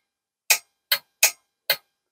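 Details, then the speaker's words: RME DB 22A WW2 preselector after antenna changeover switch repair, cut-in/cut-out switch operated: four crisp clicks about half a second apart as the changeover relay pulls in and drops out cleanly. Relay clicking normally. "and then we'll uh try the uh the cut in cutout switch and we should see the relay go"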